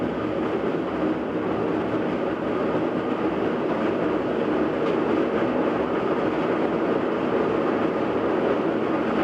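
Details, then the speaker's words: GE washer model GTWN2800D1WW, about two years old, empty on spin cycle: constant deep freight-train roar even during balance spin, before high speed; failed bearing suspected, owner unsure if tub, transmission or motor bearing. "so that's it just doing its balance spin hasn't even spun up yet it already sounds like a freight train"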